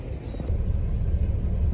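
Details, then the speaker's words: Detroit Diesel heavy-duty truck engine at idle after replacing the quantity control valve: deep, even diesel rumble with stable rpm, and the previous idle surging is gone. "all right you can see that the rpm at idle is stable now you don't hear the surging anymore"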